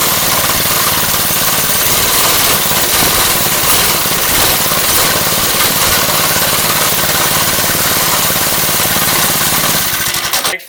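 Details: Lifan 2.5 hp single-cylinder go-kart engine after fitting a replacement carburetor (original leaked fuel): busy steady buzz at constant speed, no stumbling or dying before shutdown; running properly.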